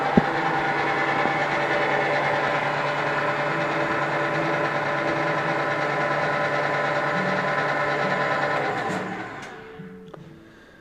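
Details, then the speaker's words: Craftsman shaper model 113239291, 1/2 hp motor, 1/2" spindle, belt drive with some pulley vibration felt at the table: smooth, fairly quiet motor and belt hum that coasts down evenly at switch-off; runs normally. "you can hear it's not very loud which is which is another good thing"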